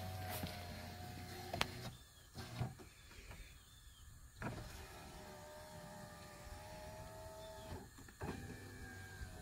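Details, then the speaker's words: 2011 Buick Lucerne door after window regulator and motor replacement: steady motor hum as the glass runs down, a brief pause, then back up, smooth with no grinding or clicking; window works properly. "okay so now that we know that the windows going up and down good and everything again turn this back around"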